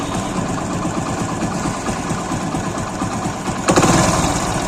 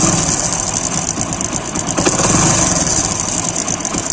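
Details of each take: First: Single-cylinder engine after timing chain work and replacement of the defective chain roller and its nut; now an even, steady idle thump with no chain clatter or ticking. The earlier timing-chain-like noise was caused by the defective roller. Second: Cold idle on a recently rebuilt motorcycle (timing chain replaced not long ago): light, quick metallic chatter over the engine beat, quieter once warm; worn timing chain tensioner roller letting the chain rattle.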